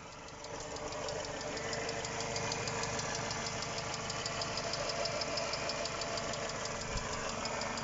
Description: Mercedes W203 двигатель 111951. Стук гидрокомпенсаторов.